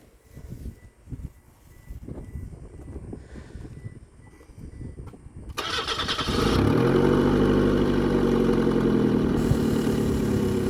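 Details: Engine cranks, catches and settles into a steady, even idle on a 1995 Mazda Protege 1.5L after a recently replaced distributor cap, following a misfire chase where spark was heard clicking inside the cap; normal start and idle.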